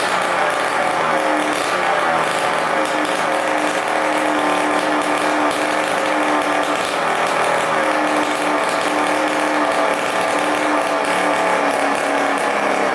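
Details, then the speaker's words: 1987 Kawasaki KX125 two-stroke dirt bike after fixing a gas leak, running without expansion pipe; loud, raspy crackle holding a steady fast idle, runs evenly without stumbling or dying, no leaks. "we'll start up again and let it run for a bit get that oil circulating and uh hear how it sounds now that there's no gas leak"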